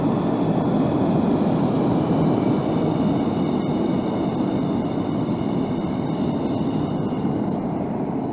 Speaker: there's a nice neutral flame there's a little bit of dragon's death coming out there's plenty of gas pressure going in in order to heat the piece up